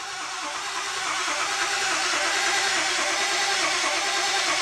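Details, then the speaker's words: Engine cranked while data-logging fuel pressure and ICP, both coming up slowly: slow steady cranking about three turns a second without catching; long crank, no start, cause not confirmed. "ICP is now finally coming up slowly we have fuel pressure yeah you can hear the engine slow down"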